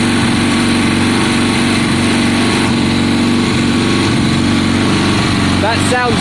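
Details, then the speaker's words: 1972 Triumph Bonneville T120 parallel twin, Mikuni carbs, after cleaning spark plugs, choke off: fairly even, lumpy idle with no misses or popping; sounds happier, running properly. "so sounds better to me john it sounds happier"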